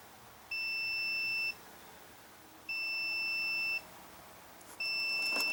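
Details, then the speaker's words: Sears Suburban SS14 garden tractor, Briggs & Stratton engine that won't shut off by key. Key switch continuity test: the meter tone comes in three separate one-second bursts as the key is moved, so contact is intermittent. Cause suspected, not confirmed. "we should have continuity okay there I'll have some but my issue is what you want to move the key around"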